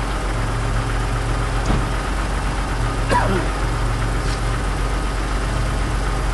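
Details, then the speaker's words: 1991 Chrysler LeBaron convertible, fuel-injected, cold start after nearly 7 months sitting through a Minnesota winter on a new battery: steady low idle settling right after starting, a few light clicks, no knocks or misses; sounds healthy. "oh that was easy enough but i love fuel injection let the electric fuel pump get some gas up there"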